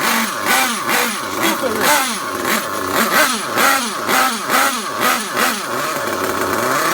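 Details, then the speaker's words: Warmed-up DYN.28 nitro engine in an RTR Losi 8ight-T during break-in, at full throttle while the low-speed needle is tuned. Blubbery, uneven revving bursts about twice a second that never clean up: a very rich mixture. "that's CL woo that's rich that's Full Throttle"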